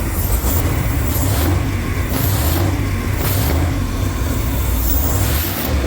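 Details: First start-up of freshly built engine just installed in 1969 Camaro race car; deep, steady, even idle rumble with no knocks or misses, sounds healthy and ready to rumble. Normal idle.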